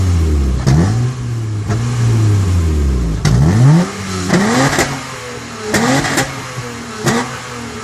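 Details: TL that sounds modified; short throttle blips where the revs stumble and pop unevenly instead of rising cleanly. Random engine misfire.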